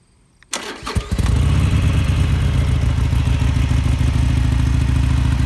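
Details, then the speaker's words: Harley-Davidson Sportster SuperLow V-twin, 4,300 miles: the starter whirs briefly (the fuel pump makes a slightly funny noise kicking on), then it catches and settles into a steady, loping, even idle; normal start, healthy engine. "So let's start it up so you can hear it. Kind of makes a funny noise when the fuel pump kicks on."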